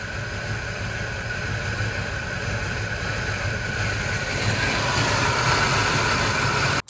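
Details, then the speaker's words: Cheap abandoned Fox Body V8 Mustang on its second crank after battery swap: raised idle runs rough with uneven, stumbling beat and occasional skips; misfire of unknown cause. "It's skipping now."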